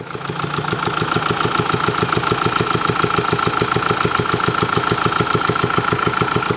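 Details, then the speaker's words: Mercedes-Benz diesel at idle: a steady, sharp ticking at about 3.5 per second, from worn roller cam followers and cam lobes; described as the sound of an engine close to failure that needs a workshop. "예이 소리가 들리시면 어 엔진 사망 직전의 소리입니다 그러니까 반드시 가까운 곳으로 가야 됩니다 어디로 정비소로"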